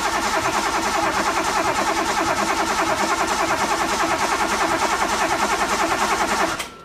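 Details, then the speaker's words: Car cranked after a fuel pump install: starter churns steadily at about three beats a second without catching, though it fired a few times; no fuel seen drawn through the line, owner suspects the fuel system isn't primed or it's out of gas. "okay so um I've been turning it over I got it to fire a few times I think part of the problem is the fuel system isn't primed or I might be out of gas"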